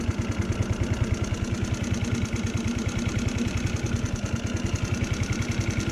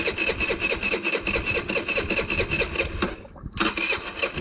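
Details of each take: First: GY6 scooter after replacing the stripped carburetor idle speed screw and spring: steady, even single-cylinder idle with no stumbles or surging; fixed. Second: GY6 scooter with a stripped, wobbling carburettor idle speed screw: a weak, uneven putter that barely starts, drops out briefly and stumbles back; the idle won't hold and the engine stalls because of the damaged screw.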